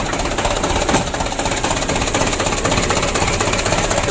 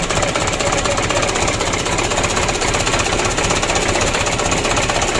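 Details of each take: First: 2007 Mitsubishi Canter diesel freshly rebuilt (had been blowing by and burning oil), first start: steady busy clatter about four beats a second, no heavy knocks or misfires. Normal running. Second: 2007 Mitsubishi Canter 125 diesel, first start after engine rebuild, cold: fast, clattery idle about four beats a second with uneven, shaky edge. Rough idle because idle speed is set too low; to be raised after warm-up.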